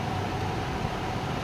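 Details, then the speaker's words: Whirlpool 6.2 kg fully automatic top-load washing machine, running: a loud, heavy rumbling roar, a deep whirring the customer likens to a helicopter. Whether a gearbox change would fix it is raised but not confirmed. "Customer क नाम कि helicopter जैसा आवाज करता है"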